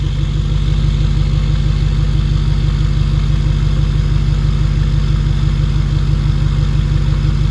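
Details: 2011 Ford 6.7 Powerstroke diesel with 5-inch exhaust, first start after 6 months winter storage: deep even exhaust burble about three pulses a second, no knock or misfire; healthy idle.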